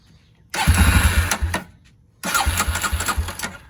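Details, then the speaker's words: Barn-find Polaris Predator 500 quad on jump box and starting fluid: fires and runs in bursts with a quick uneven putter, pausing between catches, then sounds clean once it picks up; normal running. "What? You heard it yourself. That thing sounds clean."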